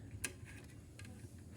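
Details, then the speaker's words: BMA SR 88 wireless mic receiver after adding a preamp module on the output, powered by a 7908/8 V regulator: quiet hum with loud irregular crackles and pops. Grounding and a new preamp IC did not help. "Ternyata hasilnya noise-nya sangat besar, bunyinya kemresek ini,"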